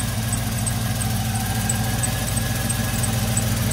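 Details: Monte Carlo idling after restart: light, fast ticking about three per second with a faint squeak over a steady idle, tapping somewhere up top; source unknown, owner plans new spark plugs.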